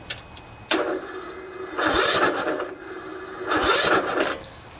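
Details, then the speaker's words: 16 HP Briggs & Stratton single-cylinder OHV engine on riding lawnmower, new battery fitted: two slow, labored starter bursts turn it over heavily without catching; too much compression because valve lash is out of adjustment. "set the parking brake so we can start the engine without having to sit on it see it's just really tough it's struggling"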